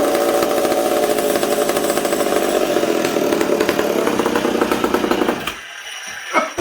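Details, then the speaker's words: McCulloch Super Pro 70 chainsaw on bench, sprayed near intake boot: steady high buzz then revs sag and stutter before recovering; engine stumble, suspected intake air leak. "hold on here brad well i think we potentially have an intake leak did you hear it stumbling there now i couldn't get it right i couldn't get it right onto the intake boot but as i was spraying it there it seemed to want to stumble"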